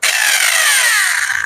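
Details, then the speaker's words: Hammer drill run with its bearing removed, originally brought in for a grinding bearing-type noise: harsh gritty rasp over high motor whine falling as it winds down; worn armature pinion and gear not meshing. "അതായത് ഗിയറുകൾ തമ്മിൽ പിടിക്കുന്നില്ല."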